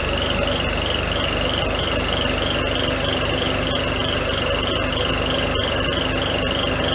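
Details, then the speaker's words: 1992 Mercedes 300E (W124), head gasket job, warming up with no thermostat and water on the belts: a steady high squeal wavers slightly above a smooth idle and never lets up; worn air pump bearings. "nothing not can hear the squirrel of the air pump [Music] bearings yeah we got water all over the belts and [Music] stuff now"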